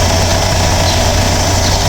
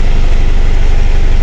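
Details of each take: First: 2010 Mitsubishi Strada 4D56 diesel, previously hard starting and low power with EGR codes, after four injectors calibrated and new relief valve and suction valve assembly installed: steady even idle clatter, no shaking; normal idle. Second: Steady diesel idle with a deep, even thumping pulse on a 2010 Mitsubishi Strada 4D56 4x4 with hard starting, low power and check engine light; scanner shows EGR system codes U1102 and U1101, and the EGR valve assembly is being replaced.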